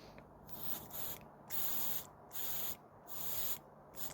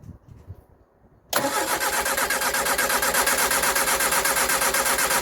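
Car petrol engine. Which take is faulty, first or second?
second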